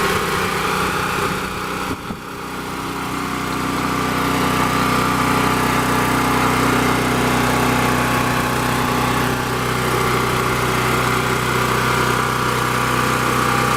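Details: Champion 3500-watt portable generator with 196cc engine, started on choke after sitting a while: engine catches, settles and holds a steady, even drone with constant hum, no misses or knocks; running healthy.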